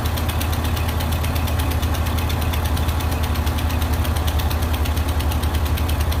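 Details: Old Ford tractor, battery charged after sitting (owner suspects the alternator isn't working), holds a steady low pulsing idle at about four beats a second without stalling; it runs smoothly.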